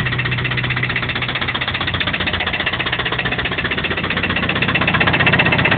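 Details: Toyota 22RE engine at idle: fast, even knock about four per second over a rough idle; owner unsure whether it comes from the rocker assembly or deeper in the block.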